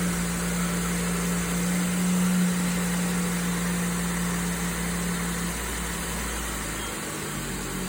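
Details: Volvo C70 T5 petrol engine at cold start idle: light, fast ticking under its steady hum.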